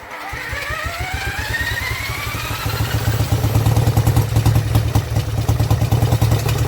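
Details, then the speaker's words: Vintage Douglas engine, first cold start after 40 years under a hedge, carb jets recleaned and mixture screw adjusted, no silencer: catches and settles into a steady, even beat around 2.5 firings a second, running cleanly on its own. "there we go the Douglas does live and don't actually sound nice oh even without a silencer on she sounds really good"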